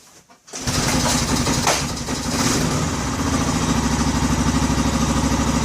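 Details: Odes 400 4x4 ATV not run for years, after rocker adjustment, spark, compression and fuel confirmed: brief crank, catches within a second, steady even idle with no misses or knocks; starting normally.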